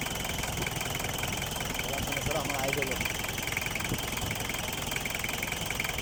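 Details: Mitsubishi Canter 4DR5 diesel after cylinder head gasket replacement (oil had been getting into the radiator, leaking valve): even diesel clatter at steady idle, roughly three to four beats a second, no misses or stumbles; running normally.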